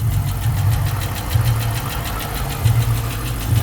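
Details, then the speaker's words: 5.7L Hemi at 160,000 miles at idle; light, quick regular ticking over the idle rumble, tracking engine speed. Suspected Hemi tick or exhaust noise; first check planned is the oil control valve for aluminum shavings; cause unconfirmed. "y hear that noise yes 5.7 L Hemi Hemi tick exhaust noise what y'all think"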